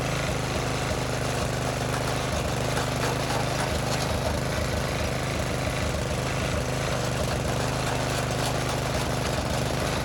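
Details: Briggs and Stratton tiller engine with new China-made carburetor, spark plug, air filter and fuel line, idle screw adjusted: single-cylinder putters at a steady even idle, no misses or surging; healthy.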